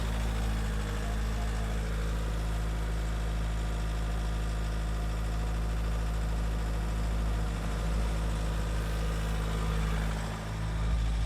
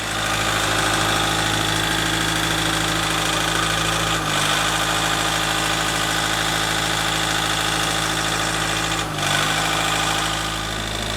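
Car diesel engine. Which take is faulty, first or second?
second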